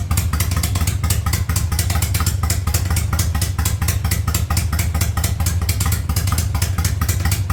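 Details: 1985 Yamaha Virago V-twin with a single-carb conversion, cold: even, lumpy thump at a steady idle with no knocks, misses or hunting. It runs normally.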